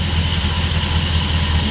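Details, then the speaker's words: 1964 Suburban V8 idling after the loose crank pulley behind its engine rattle was fixed: even low idle, smooth steady beat, no rattle or ticking; alternator area no longer ting-a-linging, drip and smoke gone. "The alternator is quiet. It's not ting-a-linging like it used to be."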